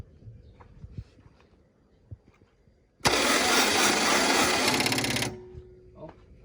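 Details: About two seconds of sluggish cranking at roughly four turns per second that never catches on a CAT 307SSR mini excavator's Mitsubishi diesel during injection pump installation; battery is low and needs charging, dragging the starter.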